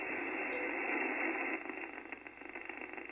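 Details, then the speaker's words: HF radio receiving on 15 meters with a resonant antenna and the shack earth fully disconnected: soft, even hiss with no buzzing, ticking or crackling interference; the band is nice and quiet. "so 15 meters getting the antenna is resonant on this band this is nice and quiet"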